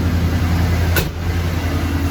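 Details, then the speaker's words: After replacing Y-pipe to exhaust manifold gaskets, one manifold nut re-threaded with thread locker: deep steady idle rumble with no ticking or puffing at the manifold; no exhaust leak felt or heard, normal idle. "now i really can't feel or hear anything if anything i hear something over there but that's the main exhaust"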